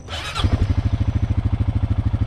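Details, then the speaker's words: Honda 420 ATV after transmission repair and a new wrist pin: engine catches and settles into an even, steady thump around twelve beats a second with no knock or clink; runs healthy, normal idle. "sounds so much better than it did before it's not knocking or clinking or anything I don't know why it was making so much noise I guess that new wrist pin really helped it out"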